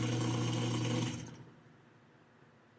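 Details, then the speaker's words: Whirlpool/Kenmore/Maytag-type washer in diagnostic mode running the drain/spin test: the drain pump gives a harsh, steady low hum with a rough buzz for about a second, then cuts out, sounding worn; noisy drain pump. "And that pump doesn't sound good."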